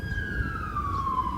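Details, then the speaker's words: 2005 Porsche Cayenne 955, replacement AC recirculation flap servo motor (code P1596; old one didn't move), tested by toggling recirculation button: thin electric whir gliding smoothly down in pitch; new servo works. "So I'm turning on the recirculation flap. Yeah, it works."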